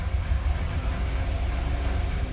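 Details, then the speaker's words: 2015 Cadillac Escalade 6.2 L V8 with flashing check engine light and code P0300: deep idle with an uneven, stumbling beat and dropped pulses. Engine misfire. "y ahí se siente fallando el carro. Okay, ahí se puede apreciar que el carro está fallando. Se siente claramente."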